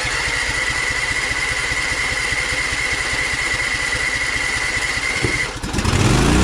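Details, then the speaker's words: Small engine started on choke: races hard at high, uneven revs with a steady whine and goes out of control, then is shut off; engine overspeed, governor suspected. "I shut it off immediately because you saw how high the RPMs were, like the throttle is completely out of control."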